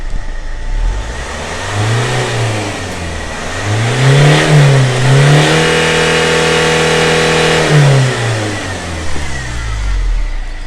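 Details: Land Rover Freelander TD4 with the BMW M47 diesel, after new glow plugs, inlet manifold cleaning, injector checks and possibly a crankshaft sensor, once previously white-smoking: it revs smoothly from idle and falls back evenly with no stumble and no smoke; normal revving.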